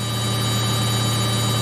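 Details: Samsung 8kg Eco Bubble front-load washer, used 3 years, final spin at 1200 RPM: even, high drum spin with a steady hum, no thumping or rattling; smooth, well-balanced normal high-speed spin.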